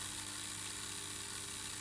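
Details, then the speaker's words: Airfix R216 GWR 0-4-2 Tank 1466 model locomotive, bought non-running (motor turned with gear grinding, no movement; diecast chassis was the cause), after chassis replacement, rebuild and lubrication, tested on 4–5 V probe via pilot wheels both directions: faint steady whirring hum with light hiss, turning freely. "I'm going to use these pilot Wheels to see if this works and that doesn't look too bad at all and in the opposite direction bit GE but uh it's"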